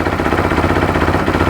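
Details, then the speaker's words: 2013 Bennche Spire 800 UTV just after a replacement motor install, smoking from excess oil: a quick, even pulsing idle at a steady pace with no ticks or misses, motor quiet. A normal idle. "that sounds really good motor nice and quiet exhaust of course it's going to smoke like I said before plenty of oil in this thing"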